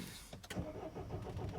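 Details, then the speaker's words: 2007 Mini Cooper D (R56) diesel: the starter cranks at a steady rhythm but the engine never catches. Crank no start from an immobiliser fault, with fault code 4A63 EWS tampering. "so the customer's complaint is crank no start let's just confirm this"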